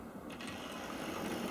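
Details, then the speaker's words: Old Tri-ang TransContinental Pacific model loco, front bogie missing, on a piece of old Hornby Dublo track: light, even whirr with soft gear chatter building steadily, no stutter; runs extremely smoothly, even at slow speed. "look how extremely smooth that is even on the other track it's not so bad even at slow speed"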